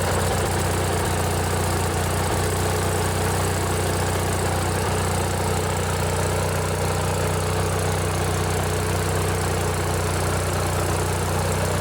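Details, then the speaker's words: Riding mower with a 16 hp Briggs & Stratton opposed twin-cylinder engine, running after a modified choke cable: deep even twin drone with steady low beat, no knocks or misses; runs smoothly and healthy. "this one here, it's the old Briggs and Stratton opposed twin. This one's a 16 horsepower. Let's see if you can hear the difference with how a twin cylinder sounds."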